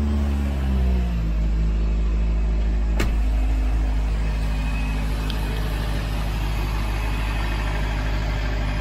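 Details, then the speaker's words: Astra rebuild, first start after supercharger install: brief rev then steady raised idle, smooth even low drone, no knocks; high idle normal for the supercharger ECU map. "okay so the high idle is normal for the supercharger map"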